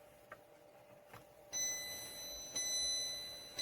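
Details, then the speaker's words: Vitek VT-2354 BK humidifier that produces no steam and whose fan is not running. In a quiet room a few soft clicks come about once a second, then a steady high electronic tone starts: the no-water warning, triggered when the float ring is removed. "uruchomi się wskazanie braku wody. Pierścień powinien unosić się gdzieś pośrodku."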